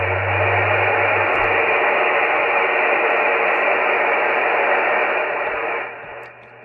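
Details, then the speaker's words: Cobra 148 GTL CB radio after removing odd mods, receiving on sideband: only soft steady hiss, earlier high noise floor and tea-kettle squeal/whistle gone; normal quiet receive. "so we have a nice quiet receive now um you know if you go cranking this up all the way you turn this up all the way of course you're going to get some Distortion coming out of the speaker but that noise floor is gone and that high pitch whistle is uh is gone"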